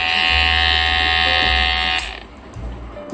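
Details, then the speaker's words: Kemei 809 hair trimmer after blade repair and spring refit, blade reset: steady, even high buzz for about two seconds, no rattle or chatter, then switches off; running normally. "देखिए अब मैं इसी condition में इसको on करूंगा तो आप देख सकते हैं बिल्कुल ये परफेक्ट काम कर रही है इसमें किसी प्रकार का कोई भी दिक्कत नहीं है"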